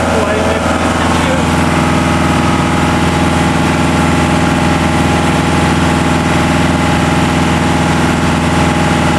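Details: New, not yet run-in TDME-490 58 hp diesel with 3:1 hydraulic reducer, motorboat sea trial on a cold morning, speed 11 at 2000 rpm: even, unbroken drone at steady pitch, no knocks or misses; healthy at cruise.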